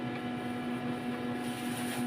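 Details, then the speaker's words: Platinum 32GB piano-model videoke player, mic plugged in: steady low electrical hum with faint pulsing buzz and no voice; cause uncertain, suspected blockage inside the mic input. "isasaksak ko yung plug yan rinig niyo rinig niyo maugong kaya Aayusin natin ang kanyang Ano ang kanyang EO mic"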